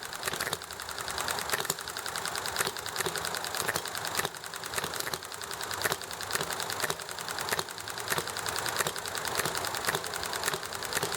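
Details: Enjomor small hit-and-miss engine running nicely: crisp clicking with periodic firing bursts and coasting gaps in a steady, even cycle, over chatting and highway traffic noise; normal hit-and-miss running.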